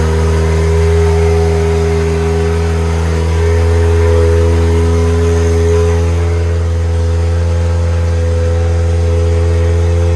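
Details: Doge's JDM Honda K24A engine, first start after install, IACV coolant line not yet connected: strong smooth four-cylinder note holding steady then pulling up cleanly, no knocks or rattles; sounds healthy, throttle cable tight.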